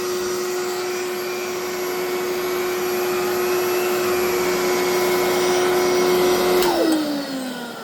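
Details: Electrolux 2100 vacuum with the power nozzle fitted: the nozzle sounds fine, but the motor gives a loud, steady, rough, gritty whine before winding down. Owner is unsure whether the motor needs work or is a louder replacement.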